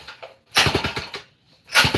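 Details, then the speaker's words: Homelite C51 chainsaw recoil starter being pulled indoors without starting the engine. Two quick pulls give bursts of clunking as it turns over. The starter only engages when ripped hard and won't catch on a light pull; owner plans to investigate. "I mean, the pull cord, if you go light on her, she doesn't engage. You have to really rip it to get it to go. So, like, you can hear it clunking over."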